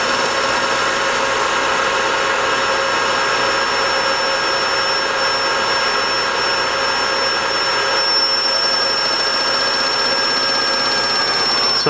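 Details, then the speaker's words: DIY IGBT one-quadrant PWM motor controller driving upgraded go-kart motor, switching at 5 kHz: steady piercing high whine at one pitch from both controller and motor over running noise; PWM switching whine, clearly audible frequency. "there is an awful line coming from both the controller and from the motor that's because I'm switching at 5 kilohertz which is a very good frequency for humans to hear"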